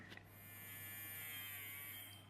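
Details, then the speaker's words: Toy electric train motor after its stiff bearing was oiled spins with a steady, even high buzz and faint hum, running freely; a split gear remains unrepaired. "a lot happier so we've lubricated the motor"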